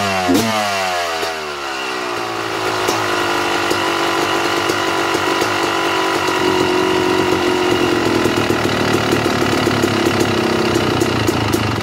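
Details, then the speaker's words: 2009 Yamaha YZ250 two-stroke at idle, pilot air screw closed too far: uneven idle sagging and wavering as if about to stall; running rich; should sit barely a quarter turn out from dying. "all right now did you hear how the bike was trying to die off as i was closing the air screw down the bike should be just prior to dying off like that barely a quarter of a turnout just before the bike tries to die"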